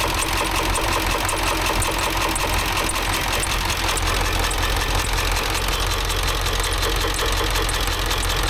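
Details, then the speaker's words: Ford F350 dually 7.3 Powerstroke diesel at idle, after replacing a bent pushrod (second from rear): loud clattering idle with steady ticking near two beats a second and uneven knock; valves appear to open correctly, knock cause unknown. "Something in that motor don't sound very good though. No idea what that knock"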